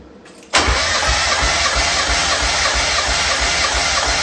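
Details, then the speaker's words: 1994 Mazda Miata compression test, cranking in neutral with throttle held fully open; starter spins the engine at an even steady chug, cylinder one reading 195 psi; even cranking compression. "crank it until i tell you so that's actually i don't know for me that's pretty good so it's 195."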